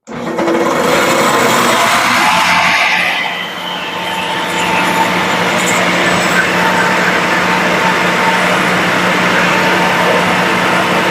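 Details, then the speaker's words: Used Shopsmith woodworking machine, powered on with the quill locks tightened: the motor spins up to a steady, even hum with a constant low tone and no shaking or rattle. Smooth, vibration-free running. "Uh when with it running like that, you don't want to hear any vibration. Um, just make sure that uh this lock is locked down and and that this is locked down. You should hear it. It should not hear any vibration."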